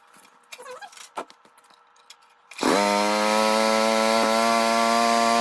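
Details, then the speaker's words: Old rototiller after pull start repair and tine engagement sorted; after a few handling clatters it fires and settles into a smooth, steady buzzing run with even pitch; small engine runs normally. "well there you have it looks like we're good to go for another season"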